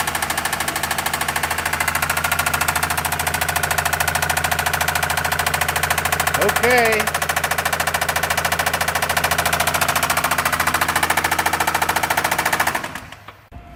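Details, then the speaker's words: Towed-in car at idle: fast, even rattle of three or four hits a second from the engine; oil overfilled well past the dipstick's high mark. "so we've got this car that was towed in and they had a rattling in the engine yeah that's an understatement"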